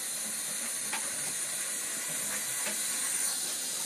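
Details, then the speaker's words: Two-zone baseboard hot-water heating system being bled, pressure raised but kept under 30 lb (later reading 11 lb): a steady high hiss of air from the bleed hose with faint sputters. Air is trapped in the hydronic loop. "30 when it hits 30 lb you will blow the meath all right yeah I can hear the air coming out of this thing"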